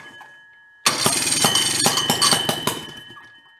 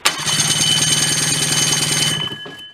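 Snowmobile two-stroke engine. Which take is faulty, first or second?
first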